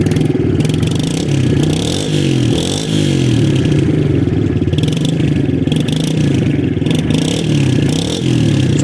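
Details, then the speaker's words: Stock TTR 110 with original carb, warmed up, throttle blipped: small single stumbles each time the throttle first cracks open before picking up, slightly better warm but persists at low rpm; carburettor bog off idle. "it's a little better when it's warmed up but there's still just that little hesitation right when it's down low right when you first get the gas"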